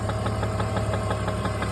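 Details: BMW E46 330 at idle: quick, light, even ticking on a steady idle; knock/tap/rattle, cause not pinned down.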